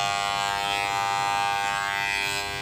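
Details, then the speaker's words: WAHL PCMC Pet Clipper (made in America) that won't cut: a steady buzzing hum with no cutting chatter, the motor is energised but the blades stay still; an electromagnetic coil or lever amplitude adjustment problem is suspected, not confirmed. "There is a rumble. The knives do not move"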